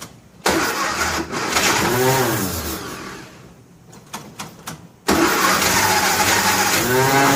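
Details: 1957 Nash Metropolitan barn find, sitting many years, manual choke: long steady cranking, nearly catches with a few ragged firing pops but never runs; cranks but won't start from crossed spark plug wires.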